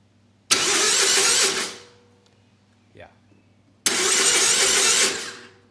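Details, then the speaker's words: Bobcat zero-turn (Ransomes 942205), Kohler SV730S engine, spark plugs disconnected to test wiring and oil pressure switch: two bursts of steady even starter whir, no firing; normal cranking, oil pressure light goes out. "And I've actually disconnected the spark plugs, so the engine won't start either. So, let's just crank it a bit and verify that the wiring's intact and that the oil switch works."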